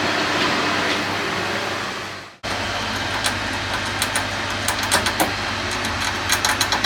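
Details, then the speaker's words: 25-year-old central heating boiler fired during a Fernox DS40 powerflush: irregular sharp crackles and pops building over steady burner roar, kettling; suspected magnetite sent back into boiler from side hoses, poor heat distribution; expansion vessel also needs replacing. "so the boil is still fired but as you can hear it's starting to crackle now"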